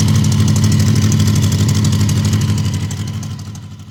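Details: Honda CB750 barn find, 65,000 miles, sat outside about a decade, first start with syringe-fed fuel: even, steady tick-over with a soft regular beat about three per second, no knocks; smooth like a sewing machine.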